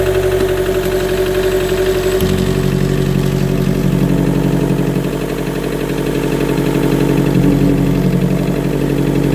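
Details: 2013 Chevy Volt with P0101, poor mileage, power loss above 70 mph and engine shutdowns; MAF replacement by the dealer, new plugs and coil pack did not fix it: uneven, lumpy idle beating about four per second with a shaky drone, like a misfire.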